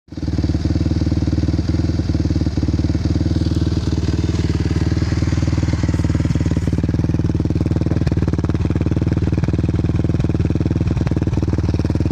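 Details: 2006 Suzuki LTR 450 single-cylinder thumping steadily at idle with scattered sharp pops and uneven note; still has power but backfires, cause unknown.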